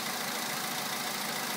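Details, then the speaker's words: VW Polo sedan 2011, 64,000 km, Liqui Moly Molygen 5W-40, 98 petrol, +2°C outside: cold idle with fine, fast ticking knock over thin hissy engine note; knock lasts longer as mileage grows, fades after about 3.5 minutes; cause unknown. "С пробегом стук становится более продолжительным."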